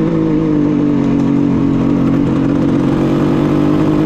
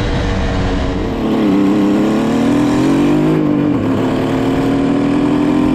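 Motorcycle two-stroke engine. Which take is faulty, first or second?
first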